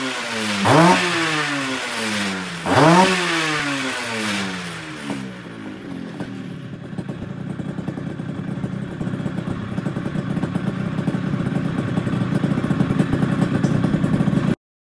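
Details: Restored Yamaha Tiara S120 (Thailand) two-stroke, engine rebuilt and set up: crisp blips rising and falling cleanly, then steady buzzing run, revs freely; normal revving.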